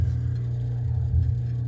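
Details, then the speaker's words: 22-year-old belt-driven unit, compressor running and coil icing, blower not moving air: steady low hum of a motor spinning freely with no load; blower motor freewheeling with belt thrown, sheared pulley. "maybe it threw a belt or something I don't know let's get this opened up yeah it sounds like it's freewheeling"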